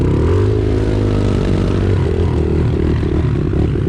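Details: Pit bike out on a construction site, just switched to reserve: the engine note wavers and stumbles unevenly instead of holding a steady pitch, the sputter of running out of fuel.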